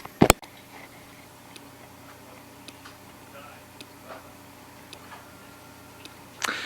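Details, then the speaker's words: Seagate hard drive, failing: sharp, light, somewhat uneven clicks about once a second in a quiet room, randomly stopping; drive dying, likely unrecoverable without opening it. "this hard dis is dying and you can hear too and this is how you would know hard drive is dying you can hear the um"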